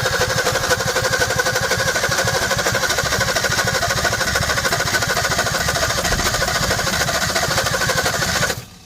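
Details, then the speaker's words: 1961 Ford Falcon Futura parked 20 years, first start attempt; uneven, stumbling beat with only two or three cylinders firing, then cuts off; misfire, spark plugs suspected as the cause. "you can you can hear some of those cylinders firing but it's just not not quite there"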